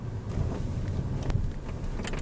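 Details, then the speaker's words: 2022 Renault Zoe (ZE11) driven over the same dirt road after the suspension knock was repaired: only soft road rumble and wind over bumps, with no knock or clunk. The suspension is now quiet. "стук пропав не знаю треба вам нижче знімати чи вище якщо попередній стук дуже було чутно на кожній ямці то Зараз Тихенько машина їде так як потрібно і ніяких шумів Я не чую стуку ніяких стуків ніяких грюків"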